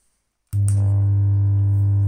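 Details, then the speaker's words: Kustom KXB100 bass combo amp: click at switch-on then loud steady mains-frequency hum, no signal passing, controls change nothing; one half of power amplifier chip burned out, speaker fed one-sided. "вот то есть компик гудит с частотой как у розетки никакие сигналы не проходят"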